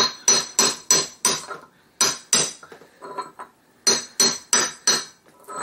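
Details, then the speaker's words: 1969 ball-joint VW Beetle front end, driving a wheel bearing race into the drop spindle hub: sharp hammer taps about three a second with a hollow ring; race not fully seated yet, the tone turns to a high ping once it seats. "this will take several and you'll know when it's a little in all the way because the tone of it changes"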